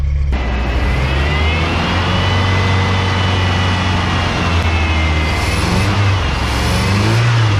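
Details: '87 Ford Ranger, running on old gas, started after reassembly and adding water: it fires cleanly and holds a steady, even low rumble with no misses or knocks; normal running.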